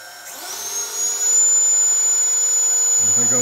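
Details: Drone motor on a 30 A ESC, Omnibus F4 flight controller, Flysky FS-i6/FS-iA6B, 14 V 5 A bench supply: thin whine climbs then holds at one pitch, ignoring throttle down. Fast throttle-down sometimes reboots the controller.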